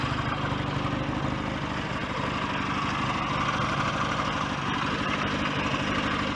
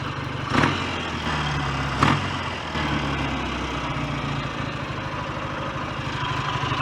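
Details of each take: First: BSA A10 Super Rocket 650, warm after a test ride, carb needle cleaned and raised two grooves to cure choke-only running. Even, steady twin tick-over about three beats a second, slightly fast; the idle needs turning down. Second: BSA A10 Super Rocket 650 twin, after cleaning the carburettor needle and raising it two grooves, idles a little fast but evenly with throttle blips, no knocks, leaks or smoke; normal healthy idle.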